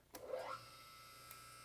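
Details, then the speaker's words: Car lift power unit with full oil reservoir, pumping oil from the tank into the main cylinder. The electric pump whirs up quickly, then settles into a steady, even hum with no grinding; normal pump run. "we're going to push the button here and that's going to run it's going to pump oil out of this tank and fill up the big cylinder that's underneath this"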